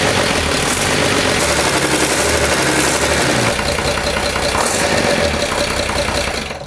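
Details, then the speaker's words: Overhauled 230HP Mercedes diesel boat engine on first test run after restoration, recorded in the engine room below full throttle: loud, steady, even beat with no knocks or misses; running healthy. "ऐसा कर रहा हूं इसके काम करने और engine room के अंदर इंजन की फुल थ्रॉटल सुनने से बहुत खुश हूं, यह अभी फुल थ्रॉटल भी नहीं है और यह पहले से ही सुपर रोमांचक है,"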